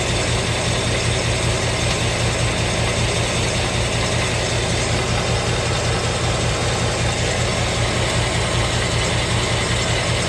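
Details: 2017 Ford Mustang 5.0 V8 at idle with fast, light, regular ticking over the engine note, starting at only 1,200 miles after the first oil change.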